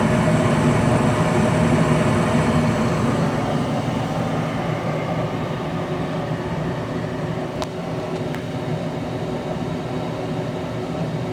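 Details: Goodman furnace after replacing the bad humming inducer motor and gasket: steady, even air rush over a low hum, no squeal, rattle or knocking; furnace firing and running normally.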